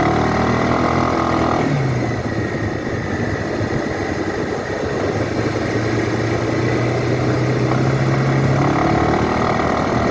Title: 2012 Suzuki Burgman knocking sound under acceleration, just sound , no video